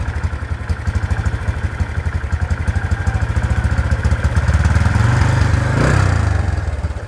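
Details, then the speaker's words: Motorcycle with a custom SND clutch block strut 1 mm longer than stock, on its first start before a test ride. Daytona clutch lining, stock springs, 1500 g balancer, 14-39 gearing, 0.8 L oil. Warming up with an even, steady putt-putt idle and a brief blip, no knocks or rattles; sounds healthy. "Untuk suaranya aman ya teman-teman, karena ini baru pertama kali hidup kaki ini."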